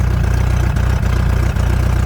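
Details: 1990 VIP Vision boat engine after the cooling hose check and reassembly: deep, steady idle rumble with an even beat and only faint dips; smooth, normal idle.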